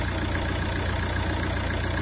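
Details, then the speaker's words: 2009 Ford Mondeo Mk4 2.0 TDCi diesel at cold idle: a heavy low throb visibly shakes the belt and engine. The vibration persists while warming and vanishes with raised revs; owner suspects the clutch/dual-mass flywheel. "вібрація от можете чи видно ні погано видно Я навіть не знаю о як труситься ремень Ну воно дуже відчутно"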